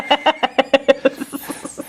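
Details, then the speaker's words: Saeco Intelia Focus espresso machine in service test mode, pump test: rapid pulsing buzz of about six pulses a second, steady and strong before easing off, with water coming out. The pump is working normally. "you couldn't see it on camera but some water came out there shut up pointed this down clearly the pump is working just fine"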